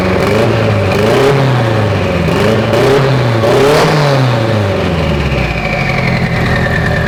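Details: Mitsubishi Evo 8 being built for 800whp, restarted after coolant top-off; oil pressure, AFRs and fuel pressure all good: strong even engine note with clean throttle blips, no knocks or misses; normal running.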